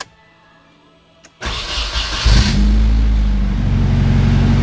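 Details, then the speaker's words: Nissan 240SX, first start after replacing fuel lines, timing possibly off, during ongoing overheating/stuck-thermostat troubleshooting; short crank then steady even idle, no misses or knocks, responds to throttle, runs healthy: normal idle (still overheats later on drive). "running good. I can hit the throttle. Everything seems healthy,"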